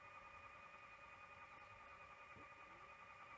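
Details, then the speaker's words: 1982 Toshiba V9600 Betamax VCR revived after storage since 1991: quiet steady motor whine with no clicks as the idler fails to engage during rewind/fast forward, apparently stuck; later laces after a wiggle and reassembly. "But I don't seem to be getting any idler action. Oh, I can hear it going, but it seems to be maybe stuck."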